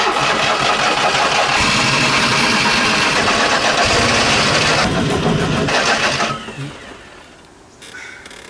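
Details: Fiat 126 unused for 4 weeks, driver pumping the pedal while cranking: steady cranking rhythm, engine briefly catches and roars, then fades and dies after about six seconds; won't keep running, possibly flooded, cause not confirmed.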